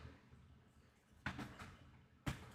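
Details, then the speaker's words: HomePod unplugged from power: quiet hiss, then two sharp thumps about a second apart, the pop of failing amplifier capacitors. "let's just listen for the pop as we unplug it from power here"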